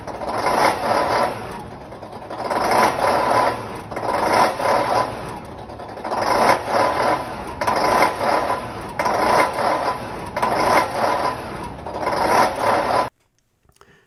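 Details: Liebherr V12 diesel of about 1000 hp in a track crane, rebuilt, with an ECM-controlled inline 12-cylinder Bosch pump and electronic governor: it starts, then surges and sags to around 200 rpm, shudders and stalls as the ECM throttles on and off.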